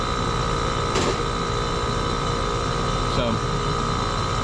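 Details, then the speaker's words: Two-stage scroll gas pack, blower door off: steady, even hum with constant whine, no knocking or rattling; compressor stages up to second stage, amp draw and head pressure rise and suction dips; normal running. "when it stages up you'll hear it the amp draw will increase on the compressor and it'll be moving more refrigerant there it goes"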